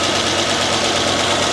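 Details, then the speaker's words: Freshly rebuilt LS4 5.3 V8 in a 2006 Monte Carlo SS on first start: fast, even lifter ticking over a busy idle. It quieted once oil pressure came up. "you going to shut up he a little loud it's a lifters it'll shut up"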